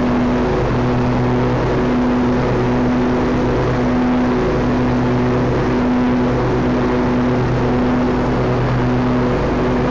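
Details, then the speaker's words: John Deere L120/LA140 lawn tractor after mower deck greasing (earlier squeak, intermittent starting issues): steady even engine and blade drone, no squeak or rattle. Normal deck running, much smoother. "alrighty that one is so much smoother"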